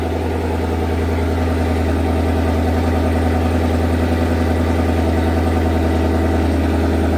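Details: Datsun 240Z with Coyote V8 swap, first running after 1 year 8 months of work: steady, even deep burble at idle with a smooth rhythm, no knocks or misses; healthy idle.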